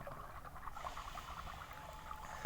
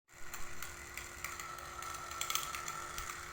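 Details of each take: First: Aquarium submersible pump after repair (disassembled, scale cleaned, wobbly impeller glued) running quietly underwater with a soft steady hum and bubbling, strong flow, no more clicking; normal operation. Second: Aquarium water pump: steady hum with irregular sharp clicks and rattles from a loose, wobbling impeller knocking inside; fix is to disassemble the pump, clean scale from inside and glue the wobbly impeller.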